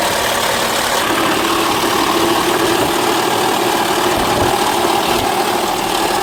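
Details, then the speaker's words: 2006 Honda Odyssey towed in, customer suspected transmission: uneven, stumbling, hissy idle with no clean rhythm; misfiring badly, possibly skipped a tooth on the timing belt, cause not confirmed. "It's misfiring like crazy. It may have skipped a tooth on the belt."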